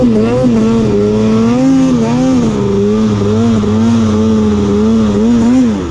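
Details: Arctic Cat snowmobile on the trail after fitting a spare belt for a loose one; engine tone rising and falling in waves instead of pulling; owner suspects primary clutch holding the belt and not shifting.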